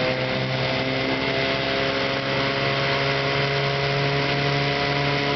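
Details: 1967 Evinrude Sportwin 9.5 outboard, new impeller, carburetor redone, test run on a Lumacraft T14S carrying about 575 pounds: steady even buzzing drone at constant speed, no misses or knocks; runs cleanly.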